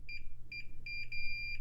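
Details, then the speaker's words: IBM 5160 PC XT restoration, quickly checking ribbon cable conductors by swiping a continuity tester across the top of the cable: a clean high beep in short bursts, then one long steady tone as contact holds; good continuity. "that one's good that is making this go a lot faster and that's the last one this side is good"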